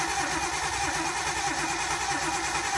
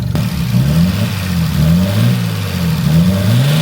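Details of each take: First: Nissan 240SX with RB engine, stock ECU, no mass air flow sensor, cam angle sensor checked: steady fast cranking about three seconds, never fires; ignition feed wire getting no power. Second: Nissan 240SX with RB engine, 2-year-old fuel, possible limp mode: revs up and settles back repeatedly, pitch tracking throttle with no misses; runs nicely.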